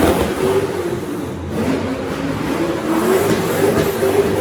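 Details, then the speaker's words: Mazda RX8 rotary drift car with 180-degree headers, not yet tuned before dyno: rough raspy blips with crackles, backfiring and popping from the exhaust, attributed to a tuning issue. "you can hear it backfiring and popping away and carrying on but yeah it's just a tuning issue"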